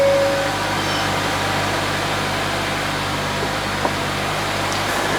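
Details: 2024 Hyundai Elantra bought from Copart listed with front-end and undercarriage damage, started from the cabin to check warning lights: steady, even hum with smooth low drone, no knocks, misses or squeals; normal idle right after start-up.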